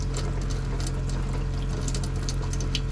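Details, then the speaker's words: Faucet on a 1983 Coachman camper just after turning on the water pump following PEX repairs: steady, even rush with no sputtering or air bursts, but soft, weak flow. Pressure is low, possibly because the pump was just turned on. "not really sputtering it's not got a ton of pressure but we also just uh you know just turned the pump on"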